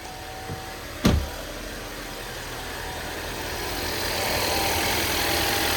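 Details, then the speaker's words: 2015 Volvo XC60 with dry-rot-cracked timing belt at 60,000 miles, in for a battery issue: a click, then it fires right up to a smooth, steady idle hum with no ticking or rattle; sounds good. "So I'm gonna go ahead and give it a start. See if she'll start up. Whew, fire right up."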